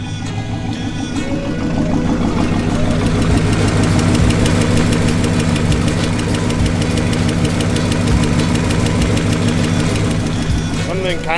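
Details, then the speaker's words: 1968 Lincoln Continental V8 after a full set of hydraulic lifters was fitted, idling after 10–15 minutes: quick light ticking, about three per second, over a steady idle; still ticking, cause unconfirmed. "still tickin but they could just because the lifters are allowed to begin with so far it seems like a success"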